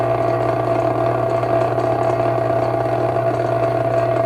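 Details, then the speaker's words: 1937 vintage fan, running unoiled: steady mains buzz with a dry, loose chatter on top; owner believes it needs oil and the rattle comes from a loose part. "hopefully we'll get some oil in there and get that out believe that's what's making the rattle noise where it's loose"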